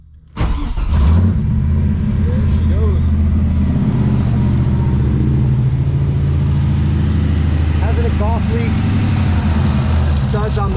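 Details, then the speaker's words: Honda S2000 in as-bought condition with messy wiring from the previous owner cranks, catches, flares briefly, then settles to an even idle around 650-700 rpm with no misses or knocks; normal idle. "you'll hear it's just starting to come down now it's idling around 650 700 sounds pretty good"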